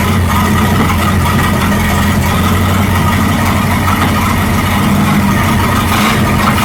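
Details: 1937 Buick Roadmaster at a steady fast idle that never drops back; an unused starter solenoid holds the throttle open too far regardless of idle screw setting.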